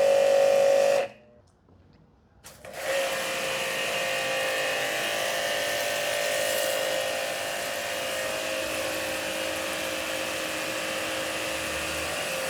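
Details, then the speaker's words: Hanabi JBD 8003 high-pressure washer, 60 bar, induction motor, 127V version, running after air bled from hose: steady high-pitched motor whine with even pump buzz, no knocks or surging; louder than the first-version Hanabi; normal running. "Mesdames et Messieurs, voici ce que nous avons déjà constaté ici. C'est parce qu'il fait plus de bruit. plus encore que Hanabi de la première version, celle-là petite fille noire."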